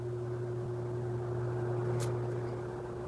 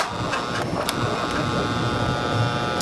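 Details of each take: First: 16-inch Quality Superior pedestal fan after repair, on low speed: low, even motor hum with faint steady tone and soft airflow, no rubbing or rattle; healthy fan on low. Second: 16-inch Quality Superior pedestal fan that stopped working, on speed one: steady electrical hum with faint whirr, blades barely turning; owner suspects seized bearings, possibly the capacitor.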